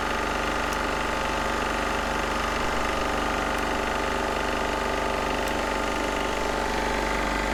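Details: Military Onan MEP-016B 3 kW single-cylinder diesel generator, revived after sitting, just started outdoors and warming up: even, steady chug holding a constant idle with no misses, knocks or surges; running healthy.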